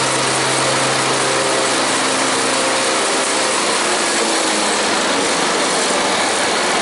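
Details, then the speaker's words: Engine idling with an even, steady hum and no knocks or misses after a popped-off tensioner spring was refitted; slight rattle remains, but it runs healthy. "So that's running really good, as any other cooler should."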